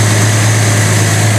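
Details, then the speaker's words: 1976 Triumph TR6 getting running during restoration, fuel leaking at the o-rings: low, smooth, steady idle with no knocks, misses or ticks, very quiet; normal idle. "oh yeah this car actually runs pretty well as you can tell very quiet"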